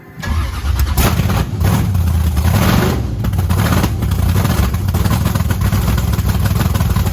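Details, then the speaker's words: Supercharged methanol-fuelled V8 Camaro with fairly fresh plugs, heat gun on exhaust pipes: loud lumpy uneven stumbling idle; two cylinders glowing, probably running very rich, injector nozzles (bigger nozzles in the back) to check. "it's probably just super fat I mean we should probably check those nozzles yeah it's got the bigger nozzles in the back it doesn't sound right though definitely does not sound right"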